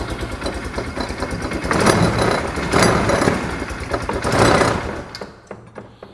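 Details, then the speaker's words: Polaris Ranger side-by-side after draining water from the pipe, oil checked and not watery; rough uneven churning with surging gurgling bursts over the engine beat; water in the air intake pipe being pumped in, not the exhaust. "I still hear the water and now I know why this noise that I was hearing that was so loud it's not from the exhaust it's echoing out of this that water's in that pipe it was never in the exhaust we're pumping it in"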